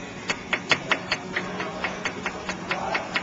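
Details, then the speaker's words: 2003 Ford Escape with a worn sway bar end link, rocked by hand: quick, sharp metallic clicks about four a second from excess play, causing clunks over bumps and potholes. "it should not sound like that there should be no play it should not be able to do this"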